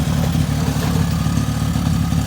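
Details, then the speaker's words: 2002 Suzuki LT-A50 quad, small two-stroke, after a top-end rebuild with a Wiseco piston and carburetor adjustment: first start, fired on the first pull and ran at a steady, even break-in idle with no misses or rattles; normal idle. "look at that they started on first pull I'm so excited and it just sounds so healthy"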